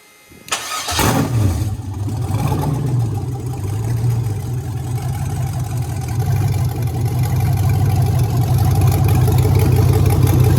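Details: BMW E46 with an LS V8 swap, start-up: a brief crank, then it catches right away and settles into a deep, steady, even idle with no knocks or misses; a healthy start.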